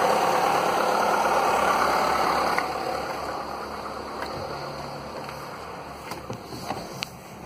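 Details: Skoda (probably Fabia) with VW 1.4 16V petrol engine, morning start after swapping in used pistons to cure piston slap, briefly broken in: smooth, even idle with no slapping or knocking; the old cold-and-warm piston knock is eliminated.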